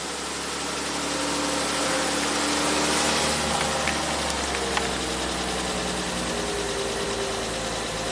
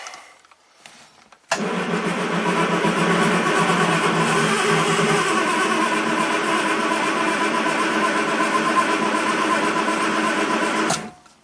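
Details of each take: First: 1967 Triumph GT6 with twin Stromberg carbs, parked since 1999, first run on fresh oil and ethanol-free gas, no choke; smooth even running rising cleanly on throttle blips, no knock or miss, some blue smoke; normal running. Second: 1967 Triumph GT6 parked since 1999, twin Stromberg carbs fed fresh ethanol-free gas, spark and some compression present, choke on: starter cranks evenly about nine seconds without firing; cranks but no start, starting fluid next.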